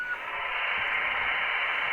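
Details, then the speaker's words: Retevis RT97s/Midland MXR10 GMRS repeater linked to a PC via a DB9 interface circuit: harsh static rush for about two seconds after transmission drops; squelch tail noise, suspected to need a filter capacitor on the mic line. "but that's the noise right there that and that's going to be normal because I gotta I think I gotta put a filter capacitor on that mic line"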